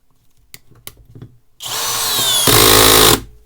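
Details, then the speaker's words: Parkside Performance PBSPA 12 C3 12V 35 Nm screwdriver on its original 2Ah battery driving a 15 cm screw: motor whirs hard, then fast irregular ratcheting as the torque clutch slips. It then trips protection and can't drive the screw. "In questo caso devo escludere la frizione, altrimenti come sentite si attiva e mi impedisce di avvitare."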